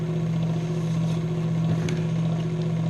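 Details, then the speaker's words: Scroll saw running, loud like a sewing machine as the blade undulates up and down; a steady, even low buzz with fast, regular chatter and no knocks or scraping. Normal running. "it's gonna be loud kind of like a sewing machine this blade undulates up and down"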